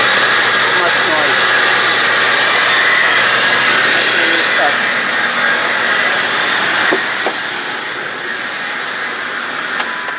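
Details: Running petrol engine with a hissy, rhythmic squeak about four times a second from a worn belt tensioner pulley, a week after the idler pulley was replaced; the belt tensioner is being replaced.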